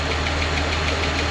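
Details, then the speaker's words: 2015 Ram with 3.6L Pentastar V6 at idle, recorded close on the passenger-side bank: a crisp, even tick about six or seven times a second; a bad rocker arm is suspected. The truck also has an oil cooler leak. "pretty confident it's one of the rocker arms, but we'll see once we get in there."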